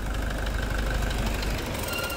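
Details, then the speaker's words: Toyota Hilux 2.5 diesel at idle, which earlier overheated until it shut off (radiator holed and replaced, oil changed): heavy low knock deep in the block over a rough idle; injector ruled out, mechanic suspects connecting-rod bushing, unconfirmed. "Então não é bico não, deve ser biela mesmo, deve ser. Biela, deve ser bucha de biela, guerreiro, então."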